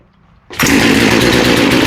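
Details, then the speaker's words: Small chainsaw with a freshly rebuilt carb during high-screw tuning by ear: it snaps to full throttle with a harsh, ragged, burbling note instead of a clean scream and still isn't revving right; the high-speed jet is set too lean. "So, that's the rev, because we knew she wasn't revving right."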